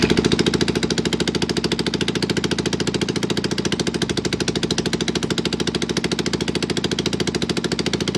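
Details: Barn-find Kawasaki Z400 motorcycle, late 1970s or early 1980s, wiring bypassed with a battery wired direct. First start: it catches and settles into a steady, even beat, about three and a half firings a second, running cleanly.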